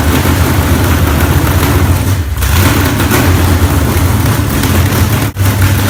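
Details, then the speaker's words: Freshly built low-buck 454 big-block from a stock short-block with a thumper flat-tappet cam, broken in earlier that day. Loud, deep, choppy loping rumble with brief throttle blips. Normal big-cam idle, running strong. "so there she is guys Milo Bach 454 she runs awesome"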